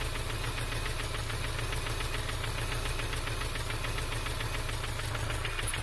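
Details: 2002 Subaru Legacy EJ253 flat-four at idle after a pop and stutter while driving: sharp, steady knock several times a second; owner wonders about jumped timing, rod knock or bad tensioner.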